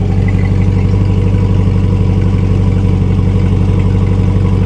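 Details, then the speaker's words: Chevrolet C8 Corvette at a Copart auction with front-end undercarriage damage, heard from behind at the exhaust: a deep, steady burble at idle with an even rumble and no misses or ticks. Normal idle. "listen to the exhaust it sounds pretty damn good"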